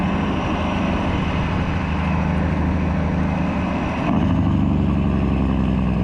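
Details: 1995 Western Star with Cat 3406E diesel after new 6-inch Grand Rock exhaust replaced the holed, sheared-flex-pipe system: deep, even drone with steady low pulse, lifting a little near the end; clean, healthy exhaust note.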